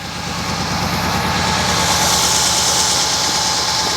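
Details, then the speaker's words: 1963 Oldsmobile 98 just revived, idling in park while still burning off old oil. Exhaust sounds like glasspacks. Even, quiet, sewing-machine-smooth idle with no knocks or misses. Normal idle. "I'd throw her in park sounds nice man it's like a sewing machine real"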